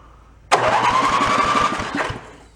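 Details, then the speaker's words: Toro 1132 snowblower pulled from bulk trash, AC-powered electric starter: starter whines and spins the engine with fast, even cranking pulses for about 1.5 s, never fires; no spark, key switch and throttle position suspected. "all right so we need to investigate point does not have spark"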